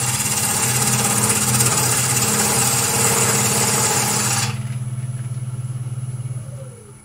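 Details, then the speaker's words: Wood lathe turning a pot: rough, pulsing cut noise about three to four beats a second, then quieter spin-down; sounds a bit wobbly, cause unclear. "something sounds a bit wobbly that's fine"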